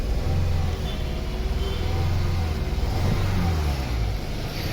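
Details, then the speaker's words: Toyota Corolla petrol idling rough with a lumpy, stumbling beat and heavy vibration from a misfire; the cause was found to be a faulty No. 2 ignition coil, fixed by fitting an original coil. "ये गाड़ी ना miss fire हो रही है ये देखिए य दे कंपन देखिए गाड़ी"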